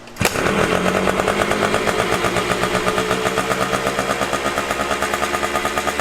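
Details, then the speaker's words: Honda CR500 two-stroke dirt bike starts and holds a fast, buzzy high idle that eases slightly because the idle screw is in too far; screwing it out lowers and smooths the idle. "le screw is in too far so if you twist it in it'll idle really high if you twist it out it'll out lower you just want to listen to it and this Auto screw right here is just in too far"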